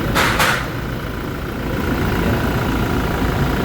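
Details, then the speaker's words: 2019 Toyota Fortuner diesel after EGR valve cleaning for an accelerator delay, coolant being topped up: a couple of light clicks, then a steady, even, low idle rumble with no knocks or misses. Normal idle; delay appears gone. "Boss, yan, pinupuno na lang namin ng coolant. Ganda na ng tahimik na tahimik."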